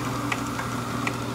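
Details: Somerset 2020 dough roller humming steadily with a sharp internal tick two or three times a second; releasing the edge pressure only reduced the noise.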